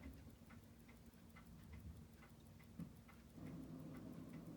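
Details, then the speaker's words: Seiko 6139-6012 chronograph after full restoration with warped parts, jewel and spacing repairs, checked the morning after an overnight run: quiet, steady rapid ticking with even beat, no skips; running normally. "Well, it's running. That's good news. Let's see what we see. Oh, it's steady."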